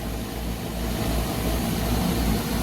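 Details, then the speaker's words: Trane package unit after compressor replacement; compressor had run backwards with no pressure differential until two power legs were swapped: now a steady, even low hum without rattle, pressure differential established immediately. "we got two legs of our compressor switched around so let's see how it sounds now it's a much smoother sound right off the bat"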